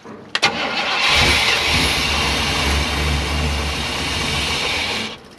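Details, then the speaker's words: 1988 Chevrolet C20 with 350 TBI throttle-body injection: starter cranks evenly about four seconds, injectors clicking but no fuel pump heard and engine never fires. Crank no-start; electric fuel pump suspected dead, not confirmed. "they don't look like they're firing though or they're not firing anything I don't hear like I don't hear the fuel pump they're definitely clicking though yeah I don't I don't hear the fuel pump"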